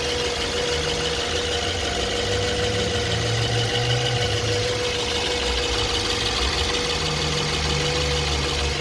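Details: 2011 BMW E90 LCI 318i, N43 engine at idle: steady hum with a faint, uneven knocking underneath that comes and goes. Intermittent engine knock.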